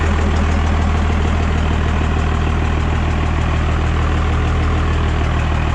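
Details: Cummins 24-valve diesel pickup just converted to a P-pump, first fire-up: deep, steady idle with even low throb, no knocks or misses; runs pretty good, before fitting 4K governor springs.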